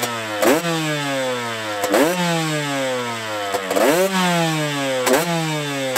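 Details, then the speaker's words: Friend's KTM two-stroke, first starts after engine rebuild, carb cleaned of old fuel and rejetted for winter (48 TK, 182 main jet), bike had sat a while; crisp crackle snapping up on throttle blips, back cleanly to idle; normal running. "No niin, nyt on todettu pyörä toimivaksi ja lätkästiin tommonenkin tonne noin"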